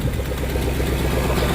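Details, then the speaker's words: 2010 Ford F-150 with 4.6 V8 at cold idle, with many OBD2 codes for VVT or cam phasers and a small exhaust leak on one side: steady, even low rumble with no knocks, ticks or stumbles. Sounds healthy despite timing issues. "good sounding engine is just it's got some weird timing issues with it"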